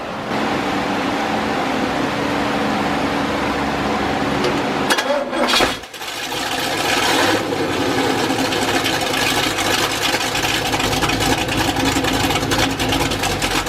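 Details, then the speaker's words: Chevy 350 V8 after flat tappet cam break-in, mufflers removed afterwards: loud open-exhaust V8 running steadily with a brief blip in the middle, sounding even and healthy; normal idle and revving. "I did the break-in with the mufflers on, but once I got it broke in, I took the mufflers off, and I'll fire the thing up and let you hear it just a little bit at the end of this video, just so you can see what the end result was."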